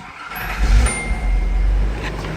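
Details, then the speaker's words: Z project car after fixing a missing ring that caused hissing: low, smooth, even idle with no hiss, ticking or rattle. "you hear how quiet that thing is now listen to that no rattling no noises"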